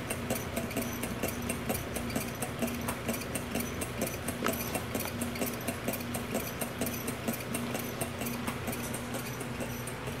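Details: Stirlingtech LT001 low-temperature Stirling engine running on a cup of hot water: a soft, steady clunk about once a second with an even rhythm. Normal running.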